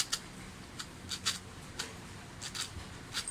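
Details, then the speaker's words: Toyota Corolla small body speedometer gauge before repair, cable turned lightly by hand on the bench. Noise appeared only recently, with an erratic needle reported. Irregular dry ticks and scrapes, a few per second, from a worn or broken gear catching inside. "Yan, sana narinig yung mga sir yung ingay. Mahina lang yung pihit ko sa kable mga sir, pero maingay na yung"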